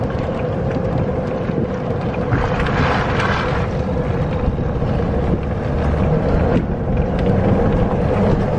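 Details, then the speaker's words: Electric golf cart with aftermarket extended roof, after rubber insulators were fitted against metal-on-metal contact: steady low rumble and wind while driving, even over bumps and corners, with no roof squeaks or rattles. "And I'm anxious to see if this right here is gonna work or not. So far, so good."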